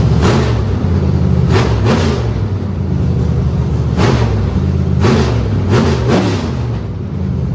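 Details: Factory Stock dirt race car V8 after fitting the correct flywheel to cure severe shake: deep lumpy idle with a few sharp throttle blips that settle cleanly, no shake or clatter; normal running.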